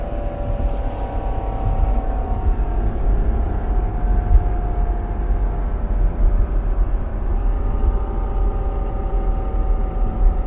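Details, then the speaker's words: Vehicle gives a loud, mid-pitched gear whine that drifts with road speed over heavy road rumble, in neutral or in gear, absent under throttle and worst when the accelerator is released; differential crown and pinion have broken teeth. "यह देखिए कितनी ज्यादा sound आ रही है चाहे गाड़ी लूटल हो चाहे गियर में हो जब भी हम चलाते हैं जब हम एक्सीलेटर देते हैं ना तभी नहीं आ रही लेकिन जब उसको एक्सीलेटर को छोड़ देते हैं"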